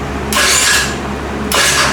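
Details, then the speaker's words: Rebuilt GY6 49cc 139QMB scooter engine with blown bottom end, no gas in carburetor: two short electric-starter bursts, turning briefly then dying; cranks then stops, earlier noise fixed by correcting valve timing. "It does crank, but it stops. And I fixed the sound, so it was definitely timing, so."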